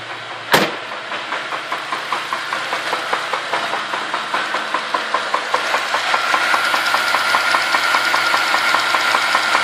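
Sharp, even knocks at about two and a half per second over the idle, getting busier as revs rise; knocking, cause unclear.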